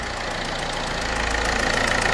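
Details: PSA DV4 HDi diesel idling: sharp, fast chuffing tick over the clatter, steady with engine speed; blow-by past a failed injector seal, with burnt exhaust-gas smell.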